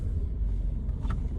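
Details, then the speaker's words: 2002 Toyota Corolla E110 with three-speed automatic, recorded while driving: deep, rough rumble with a raspy edge whenever any throttle is applied; exhaust leak. "i'm sure you can hear every time i give it any sort of throttle whatsoever the exhaust leak"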